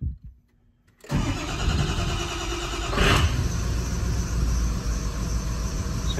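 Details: 6.0 Powerstroke diesel that suddenly died, after IPR work: cranks until ICP builds (previously only about 755, needs about 1500), then catches and settles into a steady, even idle with no stumbling, though smoking; owner suspects a stuck injector; normal start and idle.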